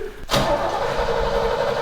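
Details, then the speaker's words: Big-block engine in long-sitting truck Griz, ran the day before, on day 2: starter spins fast and even with no firing; cranks but won't start, crew notes no compression, ether planned. Cause suspected, not confirmed. "Oh, listen to that. No compression, big block."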